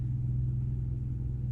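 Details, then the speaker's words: Onan 5500 RV generator after replacing the fuel pump (Cummins A047N929) and fuel filter. It had been dying after about 30 minutes, then after 5. Now a steady drone after 40 minutes of running with no sputter or hiccup. "can hear the generator running but we've been running now for about 40 minutes and it's as it hiccup it hasn't sputtered"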